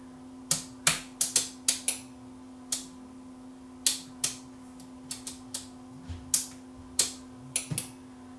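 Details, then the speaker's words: Akai AS-1080DB quad receiver with a no-sound fault: sharp, dry relay clicks in irregular bursts about twice a second over a steady low hum as the relays keep chattering. "hear the relays clicking now"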